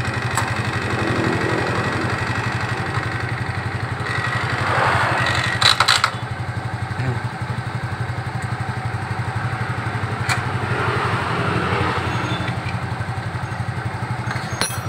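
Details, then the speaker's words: Suzuki Nex scooter CVT with cover open and closed: even idle pulse around four beats a second with no rough grinding or rattle from the belt drive; sound is the same either way and judged normal. "oke mas bro terbuka dan tertutup suaranya sama dan itu adalah suara wajar"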